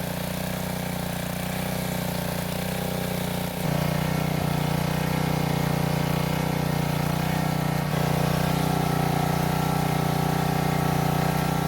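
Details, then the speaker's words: Powermate generator that sat for several years, running after a carburetor cleaning; compression reads only 65 psi. Steady single-cylinder drone that dips once and then settles a bit louder. It runs, but sounds soft and down on power from low compression. "So the reading was only 65 psi, which I hate to say is not a lot and will mean the engine will be down on power. However, it is just enough for it to run."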